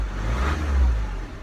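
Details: Chrysler PT Cruiser CRD diesel revving after alternator and serpentine belt replacement (old pulley off-centre, wobbling and shredding belts): revs up smoothly with a deep, even rumble, no knocks, rattles or squeals; sounds healthy.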